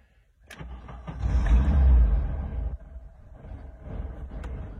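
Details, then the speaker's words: 1979 VW T2b Westfalia, 1600cc single-carburettor engine, cooled down: cranks and catches, a brief throttle blip swells the low rumble because it has cooled, then settles to a steady idle; healthy cold start. "Alors, il faut que j'accélère un petit peu, parce qu'il a eu le temps de refroidir."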